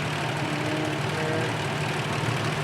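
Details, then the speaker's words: 1980 Toyota Land Cruiser FJ40 with a 4000 cc engine: even, steady idle rumble with no knocking, ticking or misfire; running healthy. "kita lihat semuanya sistem berjalan dengan sempurna. Tidak ada bunyi-bunyi yang tidak diinginkan."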